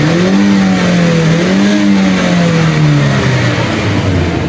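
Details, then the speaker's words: 2021 Honda City that cranked but wouldn't start and was missing, suspected broken wire in dashboard fuse box: engine now revs up cleanly and settles, smooth rise and fall without misfire; normal revving. "اب ٹھیک ہو گئی ہے اب ریس بھی لے گئی ہے دیکھنا"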